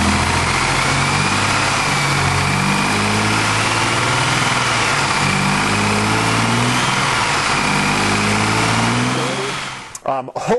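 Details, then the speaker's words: 1999 Chevy Blazer 4.3L with fuel pressure below spec (35 psi key-on): uneven idle that bogs and stumbles on each throttle blip as the pressure gauge drops. Fuel delivery problem; pump or fuel filter suspected. "so go ahead and take a look and a listen especially at the start of the video you'll hear the the stumbling really bad"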